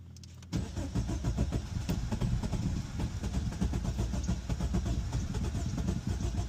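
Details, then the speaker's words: 2016 Jeep Cherokee Latitude 2.4L, overheating complaint from very low coolant, cold start at 59° engine temp: rapid even starter chugging for several seconds without clean catch; hard, long-cranking start. "Oh wow. Yeah, that's not good. Why it's struggling to turn on?"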